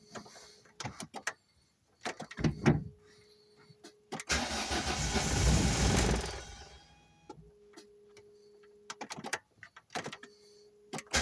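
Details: Volvo 480 turbo after long wet storage, new plugs, leads, rotor and cap: a few seconds of steady cranking, then clicks and silence, no start; tries to start with fuel in the intake, fuel pump or relays suspected.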